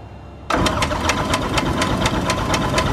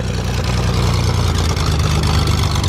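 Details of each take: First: 2006 Zodiac 601XL SLSA aircraft engine, sitting 8 years, cranks quickly at an even beat but never fires; there is no fuel pressure and the primer isn't working, and it fired right up once pressure came: cranking without starting, no fuel pressure. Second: 2006 Zodiak 601XL SLSA light aircraft six-cylinder engine, sitting 8 years: deep even six-cylinder rumble at steady idle with no knocks or misses; normal idle.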